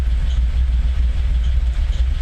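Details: Freshly rebuilt Dodge Stealth / 3000GT engine, warm, smoking on startup and idle, with low oil pressure: deep, slow, lumpy idle near stalling, estimated around 600 rpm, too low. Tach not working; rings or valve stem seals suspected.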